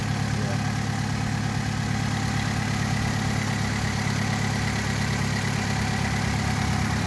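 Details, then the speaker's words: Vauxhall Astra H 1.4 petrol, 5-speed manual, on the first cold start after fitting a used replacement engine (the old one had top and bottom end damage): a steady, even idle with no knocks, ticks or misses. "doesn't sound terribly bad"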